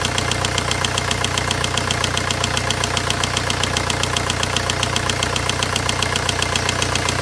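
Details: VW 1.9 diesel engine at steady idle with sharp, very regular metallic knocks about two and a half per second; engine knocking of unknown cause.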